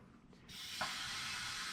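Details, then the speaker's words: 1934 Chevrolet farm truck, sitting 60 years, reverse compression test with air pressure fed into the cylinder: a steady sharp hiss comes out of the exhaust. The exhaust valve isn't sealing. "blow in this one and see if we can hear it leaking past the exhaust"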